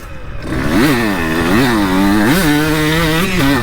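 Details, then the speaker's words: 2002 CR125 two-stroke before tuning, riding laps while shifting between second and third gear: revs sound flat and slow to rise, bogging below the power band, then waking up in it. "yeah I hear that bog hmm she wakes up in the Power Band good just hold that girl"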